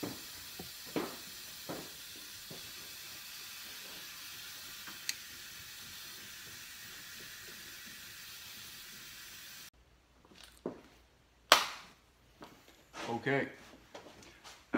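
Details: 2002 Chrysler PT Cruiser blowing hot air, A/C system pressurized with air through the low side for leak testing: steady faint high hiss of escaping air for several seconds, then tool handling; a leak in the A/C suction line.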